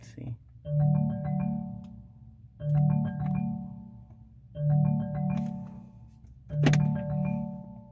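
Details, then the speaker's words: 2019 Chevrolet Malibu, engine off and display turned off: a soft chime repeats about every two seconds and keeps looping after a phone call failed to connect, stuck ringtone that will not stop. "it just keeps on making that making that noise it was when I received a phone call and I was trying to answer it and it didn't want um to connect to the phone"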